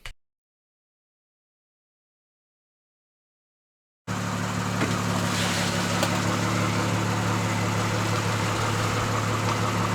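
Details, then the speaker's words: Freshly installed motor at first start-up while burping the coolant: silence, then a loud, steady idle with an even pulse and a raw unmuffled bark. Codes were present, but it sounds healthy, like an identical motor. "We let it run for a bit while we're burping it, and everything sounds good. Since I have my car next to me that has the same motor, they both sound similar."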